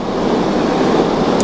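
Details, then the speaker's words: Air conditioner lying on its back, compressor off, fan only: steady loud rushing whoosh; owner believes the flat-paddle metal indoor fan instead of a blower wheel causes the noise. "but the fan in this unit is just too loud it's got a metal it's not a blower wheel it's like a flat paddles on it and I think that's why it's so loud"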